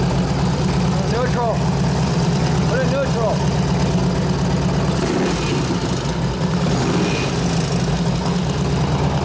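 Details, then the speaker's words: 2004 Harley-Davidson FLHT touring, 88 cu in Twin Cam, after cam change and tensioner bearing repair, running through the gears: busy metallic top-end rattle steady with engine speed; valves rattling, not the cam, hoped to calm down. "I couldn't hear it over the rattling the valve well hopefully the valve calms down because that's not the cam doing that"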